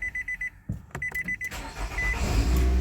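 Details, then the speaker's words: 2014 Nissan Altima 2.5 with a stalling complaint and code P0011, after the repair and cleared codes: door chime, short crank, then it catches and settles to a steady, higher idle with no stalling over repeated restarts. Normal start and idle. "no stalling runs great shut it down got back on no stalling again"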